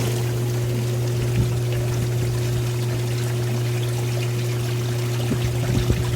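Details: Hot tub with a newly fitted BP7 spa pack replacing a burnt one, single pump run on high speed to purge air; a steady, even low hum under pouring water, with the pump running smoothly.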